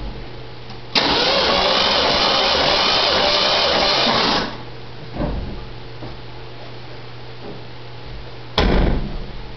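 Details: Jeep 258 inline six with a backfire problem, cranking during a compression test on cylinder no. 4 (about 110 reading, judged not bad): a few seconds of loud, even cranking with no drag or uneven beats; normal cranking.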